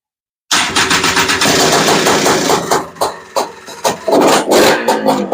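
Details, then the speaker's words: FL350 fitted with a Lectron Billetron 38 mm long-body carburetor, on a start attempt without choke: it fires in ragged, uneven bursts that surge and sag and never settle into an idle. The metering rod had been turned the wrong way, leaving it super lean. "listen the problem was me I was turning the metering rod in the wrong direction we were actually in a super lean condition it didn't have any fuel"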